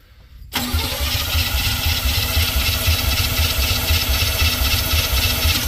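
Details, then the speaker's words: Square-body GM dump truck, long unused, cranked via the starter solenoid wire; slow, even cranking about two beats per second without firing; engine flooded because of a stuck carburetor needle, carb top to be removed. "yeah I'm going have to pull a top of the carb off see if I can get the needle quit being stuck"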